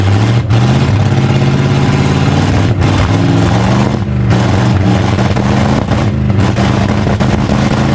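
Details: 1965 Chevy C-10 pickup, just revived after about 25 years sitting: the six-cylinder idles and revs up and down freely, firing steadily with no misses or knocks. Engine running normally.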